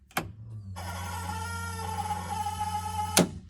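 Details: K24-swapped Honda CRX build before first start, fuel pump switched on through the new switch panel: after a click, a steady high-pitched whine of even tone for about two seconds; the fuel pump works, and the regulator is heard screaming.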